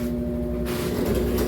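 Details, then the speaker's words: Washing machine after technician replaced the hose, no longer leaking and spinning again: even, steady motor drone, no knocking or rubbing; normal spin cycle. "Tá centrifugando. E show de bola, gente."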